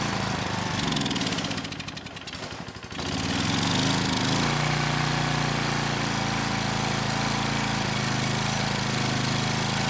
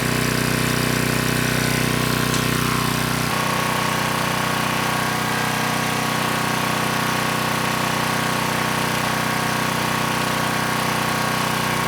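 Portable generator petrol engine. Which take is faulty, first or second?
first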